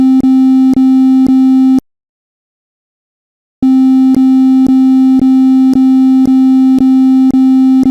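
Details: Over-temperature alarm: continuous steady mid-pitch tone with faint ticks about twice a second, a short pause, then the tone again.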